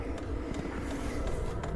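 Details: Diesel heater running on a portable power box inside an insulated tent at -10°F: steady fan rush with soft regular fuel-pump ticks about three a second.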